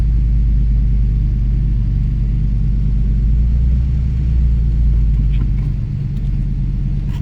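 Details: 2007 Ford Focus after clutch install and clutch bleed: steady, even low engine rumble at idle and pulling away, nothing knocking or grinding. Finding: normal running.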